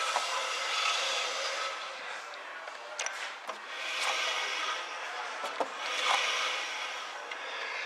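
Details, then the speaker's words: 1969 Ford Econoline van, long unrun, after brake adjustment, wheel turned slowly by hand; soft repeated scraping swish; slight, acceptable brake shoe drag. "So, there's just a little drag on them. I think you can hear it."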